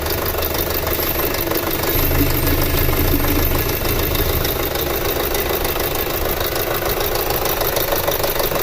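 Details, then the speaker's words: 2006 Audi A4 2.0T long parked, codes P0300/P0303 misfire: steady idle with fast uneven metallic knocking about three beats a second, nasty rattle seemingly toward the back, suspected mechanical issue; compression test planned. "So guys, what I'm thinking about doing is, since it has this nasty rattle, I think I might do like a relative compression and then maybe an intake pulse, because it definitely sounds like a mechanical issue."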